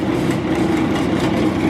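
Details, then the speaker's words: 1968 BMW 1602, first start after 10+ years sitting: electric fan gives a loud steady whirring roar with droning tone underneath, no rhythm; owner suspects the fan is about to come apart. "it sounds like I've ever unplugged the battery cuz sounds like that heer is about to come apart"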